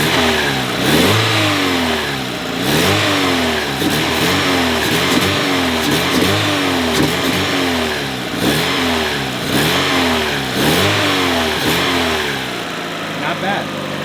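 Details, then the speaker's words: Mazda Miata barn find, unrun for 3 years, idling about 5 minutes after first start and being revved: revs rise and fall every two seconds with light metallic chatter; owner suspects it may need an oil change. "it is a little noisy it is chattering a little bit perhaps that's because you may need the oil change or something"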